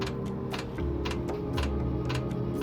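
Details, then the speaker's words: Bunk heater on a 2016 Freightliner Cascadia DD13 gives sharp irregular clicks about twice a second over a low hum, near where its exhaust pipe enters; it smokes once warm, and the owner guesses the heater's starter. "let's see if it starts clicking again i just turned the unit on oh there's a click"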